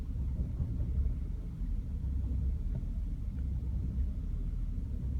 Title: Bmw e60 530i n53b30 rough idle, then MIL